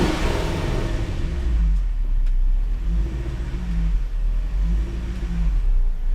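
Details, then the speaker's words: Supercharged Range Rover (L322) after MAF cleaning and PCV replacement: blips, then a mild idle surge in slow waves before settling. It idles and revs well overall but runs a little rich to compensate for bad gas, and the owner expects it to smooth out as fresh fuel cleans the oxygen sensors. "But it's already idling really well, and it revs fine. It's just, this is running a little rich right now to compensate for the bad gas."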